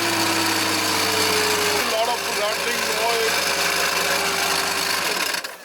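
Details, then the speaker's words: Mercedes W220 S55 AMG, 5.4 V8 supercharged M113K, engine running: fast metallic chatter with a wavering high squeal from the supercharger pulley; failed supercharger pulley bearing, to be replaced. "as you can see it's still spinning a lot of noise coming"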